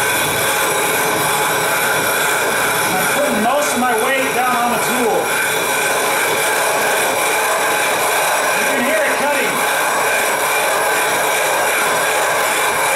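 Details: 12.5-inch telescope mirror blank hogged on a spin/fixed-post grinding machine with a sub-diameter tile tool, erratic back-and-forth strokes toward ~0.156 in depth: continuous gritty rasping scrape with squeaky sweeps as tool passes; coarse grit cutting glass normally.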